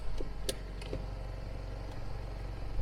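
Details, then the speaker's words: JDM KZH106 Toyota Hiace Super Custom G van idling in drive with handbrake released: low drone with faint buzzing vibration and light clicks from the handbrake cable rubbing the intercooler; noise stops when the handbrake is applied. "can you hear this it's quite annoying so Hand bre up the noise goes away and break down the noise comes back"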